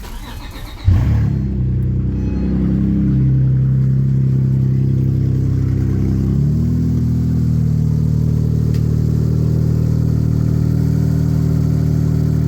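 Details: Acura with a newly installed, mildly built J-series engine, loose without the subframe, after the engine was rotated slightly: it catches after a short crank and settles into a steady, even idle with no misses or knocks.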